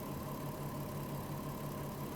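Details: VW Touareg with a low oil pressure warning, bonnet open after about 25 km in an hour with two HC-oil-based flushes added: steady even idle, smooth low hum, no knocks or ticks; engine healthy and settled.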